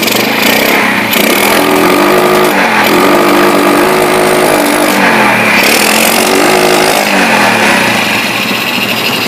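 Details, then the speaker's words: Yamaha Jupiter Z single-cylinder with brebet and no power from mid to high rpm, after the carburetor was refitted with the needle lowered: fine at idle, but revving hard gives a ragged stumbling note with sharp exhaust popping. Backfire and misfire. "Ya, di sini motor tetap nembak-nembak. Permasalahannya tetap seperti yang sebelumnya."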